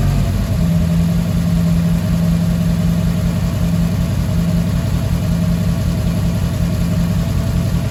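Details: Fiat 147 carbureted engine idling after installation of a new electric fuel pump replacing the mechanical one, pump fairly noisy; steady, even low idle with no stumbling, surging or misfire, normal idle.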